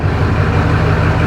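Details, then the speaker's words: 2004 GMC 3500 Duramax diesel pickup, started to check transmission fluid level: deep, even diesel clatter holding a steady low idle right after an easy start, no knocks or misses; healthy idle. "start it up and see where the level's at all right this thing usually starts up super easy"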